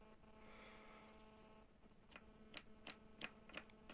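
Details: Seat Alhambra stabilizer link, removed and worked by hand before replacement with Meyle: sharp dry clicks, about six in two seconds; the link ball joint is worn out.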